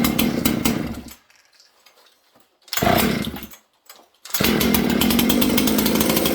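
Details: Junkpile 200-series two-stroke chainsaw with a missing throttle linkage, owner suspecting it may need a carb kit: after a few sputtering pulls it catches and holds a steady rapid burble, running and idling on its own.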